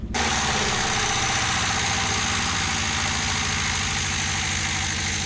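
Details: 1975 Toyota KE30 Corolla two-door, 1.2-litre, abandoned in a shed for years, first start: rough, lumpy idle at about three pulses a second under a raspy hiss, likely misfiring; mechanical gauge shows low oil pressure, about 20 psi at idle.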